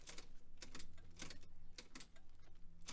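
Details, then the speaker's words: 1966 VW Type 3 Fastback, 6-volt, newly fitted hard start relay kit: sharp relay clicks over a low hum but no cranking, because a wire was pulled off the starter. "well i thought we had a total failure to launch situation went to start it had a click i could actually hear the hard start relay clicking"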